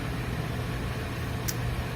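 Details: Whitfield Quest Plus FS pellet stove with damper and pellet feed set for a balanced burn. A steady low fan hum, no rattles or labouring, one faint click; burning evenly, normal running.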